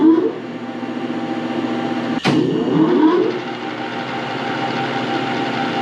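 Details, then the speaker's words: Metal lathe bought non-running and disassembled, first power-up after cleaning, painting, reassembly and rewiring: quiet steady motor hum with one brief clack, spindle smooth and even, no grinding or knocking; runs healthy. "Not bad for a lathe that was in a bunch of pieces and boxes. I'd say it runs good."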